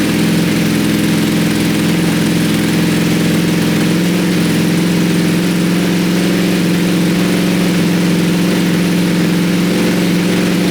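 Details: 2020 Ducati Panigale V4S rebuilt after a wreck, first start: steady, loud, even idle with a deep throaty exhaust and no knocks or misses; some smoke, likely oil and fuel burning off the engine; normal idle.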